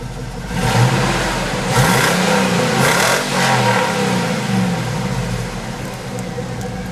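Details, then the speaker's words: Cadillac Escalade LS V8 that had sat five months, freshly started and revved. It blips up and settles back smoothly and quietly with no ticking. Normal revving. "it's like that's the quietest ls i've ever heard yeah there's no ticking no no nothing just fired up it was as smooth as this"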